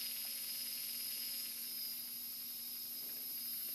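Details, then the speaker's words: Turnigy D3530/14 1100KV brushless outrunner motor spinning with a steady high whine, low hum and coarse hiss, rough and vibrating from bad bearings; a same-batch good motor is much quieter. "okay this is a motor with bad bearings noisy and rough feel the vibration"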